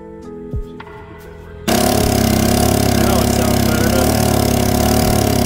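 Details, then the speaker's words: Generator that ran last year but wouldn't start, after spraying carburetor valve with PB Blaster and carb cleaner: runs loud and rough off choke with uneven hunting beat; another clogged jet above suspected. "a little bit of P running through that valve get the Dum out now it's running not not the best"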